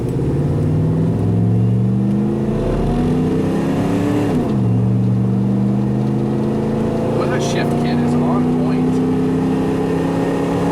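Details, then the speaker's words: OBS Ford F250 460 EFI on mud tires, before-upgrade 0-60 run (about 11 s): revs drop at shift then pull up slowly, flat exhaust note, lays over after 1-2 and 2-3 shifts; suspected running lean. "if you listen to the video in the before and after runs and the tone of the exhaust you can hear that it lays over after the one two shift and the two three shift really if i stayed in it"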